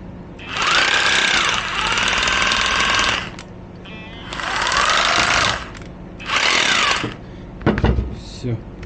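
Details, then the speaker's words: Used Makita 18 V cordless rotary hammer, originally lit up but would not run, now repaired: three clean bursts of motor whine with rapid hammering in hammer mode, spooling up and down evenly with no grinding or rattle; brushes still need buying; tool runs normally. "В общем, как-то так заработало. Если переключить на бой, тоже так нехило бьет. В общем, аппарат работает."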